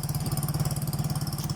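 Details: Yamaha Mio scooter, hard starting and no idle traced to a faulty fuel tap, old carburettor refitted: quick, even exhaust pulses hold a steady low beat with no misses or stumbles; idling smoothly after the repair.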